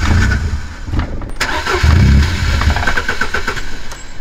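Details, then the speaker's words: MG ZR 2.0 Turbo on new harness and January 5.1 ECU, no intercooler, after idle fuel correction increased: engine runs steadily with an even low beat, no misfires, unlike earlier when it couldn't pull away. "Но вот мотор работает ровно по сравнению с тем что было в первой части когда мы не могли тронуться с места"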